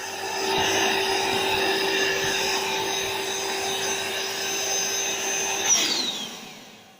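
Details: AeroBed Deluxe Raised double air bed, built-in electric pump at end of inflation, pinhole leak suspected near the bottom: steady high electric whir holding one pitch, then switching off and fading as bed is firm; pump working normally.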